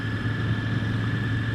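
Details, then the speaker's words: Royal Enfield Interceptor 650, possibly a 2020 model, on its first ride: a clear, steady high whine, possibly from straight-cut gearbox gears, over the engine's low rumble. It is normal and supposed to whine like this. "it's not a problem it's supposed to whine like this the whine it's not annoying or anything it's just a observation"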